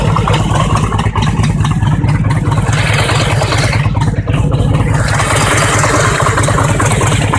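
Cold V-twin lopes unevenly with a dull knock in the beat, rising as it's blipped; a cold knock, cause not pinned down.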